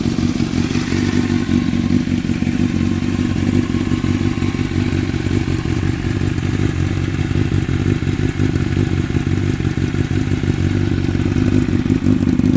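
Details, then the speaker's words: 2006 Honda CBR1000RR inline-four, 17,386 miles, HMF slip-on, K&N filters, idling from a cold start: steady low burble with faint ticking clatter on top, even and unbroken; healthy. "This is a cold start, just to show you. I meant to grab the headers before. This is a cold start."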